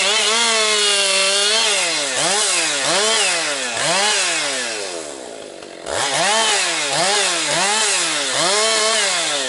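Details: Husqvarna 262XP two-stroke chainsaw after rebuild, breaking in with compression up, bucking low-grade pine firewood; strong high-pitched wail dipping and recovering about once a second per cut, clean throttle pickup, running strong and holding idle.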